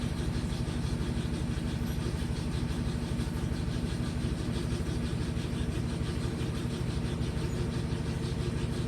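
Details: LG inverter direct-drive washing machine found in the garbage, first test on high spin speed: even, rapid pulsing hum about three beats a second, steady and smooth with no knocking or scraping; healthy spin.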